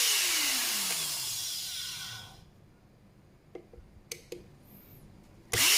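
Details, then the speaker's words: Electric spray gun (Multipro ESP99HP) motor after replacing its bearing with a better one, reassembled and test run: high motor whine coasts down smoothly then snaps back up to speed, no rasp or rumble; power draw reads about 480 W at first pull, steady around 450–460, seemingly faster than before. "jadi dia setelah kita ganti dengan bearing yang lebih bagus jadi putaran dia makin ini kelihatannya ya kelihatannya dia makin makin kenceng nih karena bearingnya semakin bagus nih ya"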